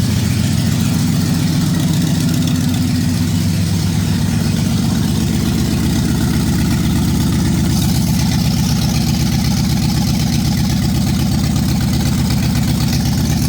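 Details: 1965 Ford Galaxie 500 LTD, 352 big-block V8, last run before engine removal: hard rhythmic knock at idle keeping pace with engine speed, from a bad rod bearing; block is cracked.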